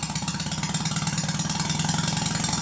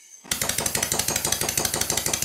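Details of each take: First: Red Stuart Sirius steam engine, like new with perfect valve timing and no wear, on compressed air running slowly: crisp even chuffing about four beats a second, no knocks or rattles; sound engine. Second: Stuart Sirius steam engine, run on compressed air: sharp clattery harsh uneven beats about ten a second, far noisier than the red one.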